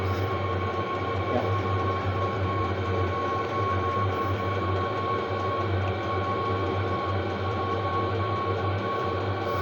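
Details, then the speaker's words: Chinese diesel parking heater with no exhaust muffler, so very loud, after glow-plug warm-up, current back down to one amp: even, steady roar with constant low hum, no misses, surges or rattles; firing normally. "you don't have the muffler of the Taps so it's going to be noisy as hell and we're back down to one amp after it warms up"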